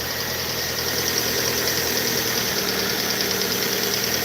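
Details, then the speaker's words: Chevrolet Aveo5 engine after repair work, just started: steady, even idle with a soft hum and no knocks, misses or stumbles; "humming right along", runs smoothly, normal idle. "Hey, we're humming right along. Sweet."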